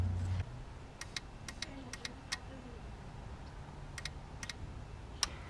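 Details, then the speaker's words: 2008 Chevy Suburban with a blinking check-engine light and misfire: removed fuel injector powered directly gives sharp crisp clicks in irregular pairs, the injector is good. "but I hear the clicking sound of the injector that means the injector is good"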